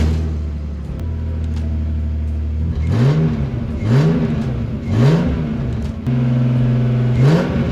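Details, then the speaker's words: BMW E46 328Ci drift car on its first start test after a Walbro Motorsport 255 L/h fuel pump was installed; the pump sounds different from the original. It settles into a steady idle, then takes quick throttle blips that climb and drop cleanly. It runs evenly and was perfect on a test drive. "et bien c'est un succès je suis même allé faire un petit tour et c'est parfait tout est nickel"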